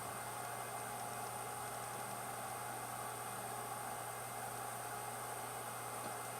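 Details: Yongnuo YN600 LED light's original cooling fan, heard about 70 cm away, gives a constant airy hiss with a faint steady whine that the housing amplifies; loud cooling fan noise, before swapping to a low-noise fan.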